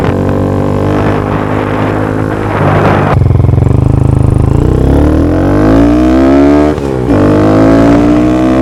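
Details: Honda Grom just after a DHM S1 camshaft install, valve clearance adjustment and exhaust refit: the small single fires up and settles into an even idle. It then revs smoothly and cleanly with no ticking or knocking and runs fine.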